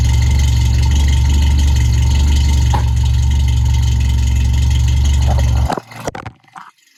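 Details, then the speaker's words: Toyota AE86 idling after new Flowmaster exhaust fitted; loud, deep idle with light regular rattle about four times a second over exhaust drone, something loose, source unknown. Rattle at idle. "yeah there's something rattling it sounds bad but I promise you there's nothing wrong with it it's just something rattling and I got to figure out what it is"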